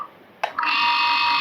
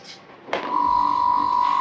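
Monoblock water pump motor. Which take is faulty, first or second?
first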